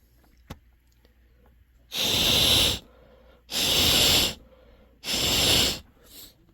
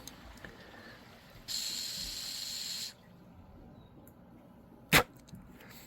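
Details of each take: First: Honeywell water heater gas control valve, pilot working, set to hot after the second click: three strong, even hissing bursts of about a second each as gas flows freely through the valve; sounds normal. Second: Honeywell water heater gas control valve, valve body tested off the heater with air: short whoosh for about a second and a half, then it stops dead and clicks; pilot flow cuts out although ohms test good, faulty valve body.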